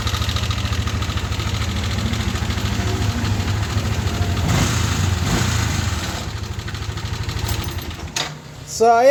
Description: NMAX V1 MAY KALANSIN , TUNOG JOLEN, AT KATOK SA MAKINA SHARE KO ANG NAGING SIRA